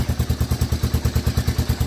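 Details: 1985 Honda Fourtrax 250 after a no-start was fixed by reassembling the start button: steady single-cylinder thump at about seven even beats a second, unbroken with no misses; clean idle.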